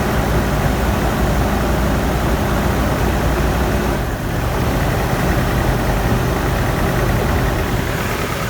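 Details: GMC 2.8L four-cylinder truck idling, uneven stumbling beat as cylinder 3 misfires from an ignition coil accidentally broken during a timing chain repair, no scanner codes; later part shows all cylinders firing smoothly.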